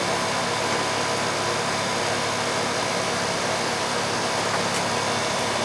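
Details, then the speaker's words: Ruud R22 home AC condenser (customer reported no cooling), running in the rain on a not-yet-hot day: a steady, even fan and compressor hum with no knocks, rattles or cycling. Warm discharge and cold, sweaty lines suggest the charge is fine. "she's already getting sweaty so it's nice and warm coming out that's what we want it's not really that hot out yet but the charge is gonna be fine"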